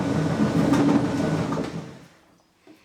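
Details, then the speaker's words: Beko tumble dryer that suddenly went noisy: heavy uneven rumble with bad vibration while running, probably from worn drum support rollers/guide wheels, which are replaced. "It's actually gone very noisy and it's making a rumbling noise, which obviously isn't right. And if you can see that, it's actually vibrating quite badly as well."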